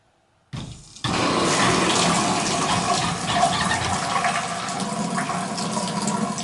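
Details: Strong, steady rush of water after the valve opens, with no chatter, hammering or whistle. This is a 1993 shower valve fitted with 75 Shore washers; its handle turns a little tough. The valve works and flows normally.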